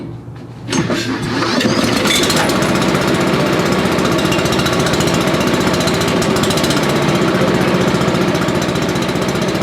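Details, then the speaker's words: Billy Goat leaf blower with a Briggs & Stratton 9.5 hp engine, long neglected, starting fluid added; steady cranking at about four pulses a second that never fires. Cranks but will not start; owner suspects the carburetor is shot, ignition or valves to be checked. "Because it may not be picking it up through the carburetor, because the carburetor could just be shot. But it should have kicked. Well, we may have something wrong."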